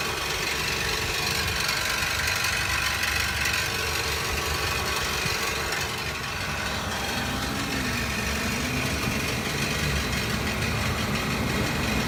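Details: 2017 Nissan NV200 SV cargo van at idle: an uneven, tinny rattle of about three hits a second over the engine hum; source undetermined.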